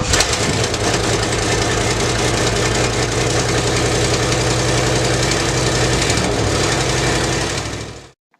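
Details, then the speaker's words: 1973 Lincoln Continental with previous owner's dual 3.5-inch exhaust: long cold crank, catches into rough lumpy idle, then shut off; hard cold start, no cause given. "the 73 Continental bit of a cold long start but it's still great learning car"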